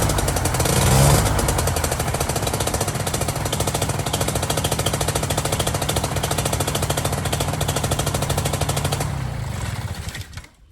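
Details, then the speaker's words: Air Max 220 Blackhawk paramotor after replacing the whole prop pulley assembly, whose bearings had been replaced months earlier, and tensioning the belt to about 17–18 lb, at about 45°F outside: the small two-stroke fires right up with a steady, even buzz and no misses or knocks, then winds down. Runs smoothly. "fired right up sounds really smooth it's about 45 degrees right now outside"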